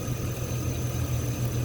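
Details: A 5.3L V8 Chevy Silverado just jump-started from a dead battery with an iOnBoost TORQUE V8 lithium jumper: a low, steady V8 burble with an even pulse and no stumbles or knocking, a healthy idle.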